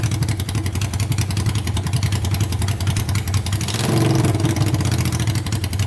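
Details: Honda 500cc engine swapped into a tractor, run to warm up after the fan wiring was repaired: loud, steady, low thrum with a brief rise in revs and no knocks or rattles; idling normally, no issues yet.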